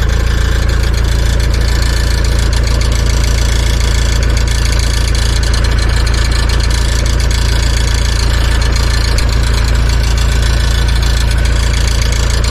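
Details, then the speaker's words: Mitsubishi Shogun/Pajero diesel at idle; faint, even metallic buzz over the low thrum from underneath near the door, started a day or so ago; owner suspects a plate on the exhaust, found to be a broken exhaust weld on a rotten exhaust. "there's this really annoying metallic rival let's come in which is very humid um noise sounds like it's coming come by your door somewhere and underneath um Gerson is probably like a plate on the exhaust"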